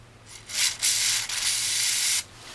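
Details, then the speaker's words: Hand-tapping threads with non-proper cutting oil to fix a hose holder on a hoe: dry rasping scrape in short back-and-forth strokes as the tap bites, no binding or chatter; normal thread cutting. "Go real slow, and once you feel it starting to bite, just go backwards and forwards a bit. just to clean out the old crap, right? So she's starting to, you can hear it, eh?"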